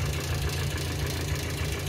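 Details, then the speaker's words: Petrol engine idling with a rough, clattering top-end tick from suspected hydraulic lifters, heard while a chemical engine-flush product runs before the oil change; the engine normally ticks slightly and clatters at startup. "elle fait un de ses bruits j'ai l'impression que tout est en train de s'exploser l'intérieur"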